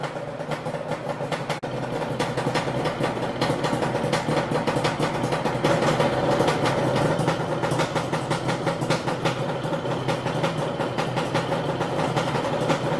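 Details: Warm Yamaha Banshee two-stroke twin quad idling at operating temperature (80–90°) with an uneven, stumbling beat and irregular popping; misfire only when warm; spark plug ruled out, reed valves to be checked next.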